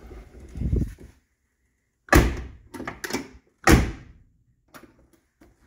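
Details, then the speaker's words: 1979 Lincoln collector series door after replacing and adjusting the door striker bolt; heavy abrupt thunks and a sharp latch clack when shut; striker set too tight, door resists latching. "that one's pretty tight so I'm going to put it back on here"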